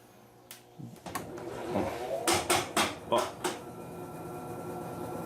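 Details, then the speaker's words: Electrolux LTE06 6 kg washing machine: quiet hum, then six or seven heavy irregular clunks as the drum starts spinning, worst at the first spin; the machine cannot spin properly. "tem tem hora que ela faz um barulho terrível esse barulho só que acentuado assim muito bom G1 e principalmente na hora que ela vai centrifugar pela primeira vez"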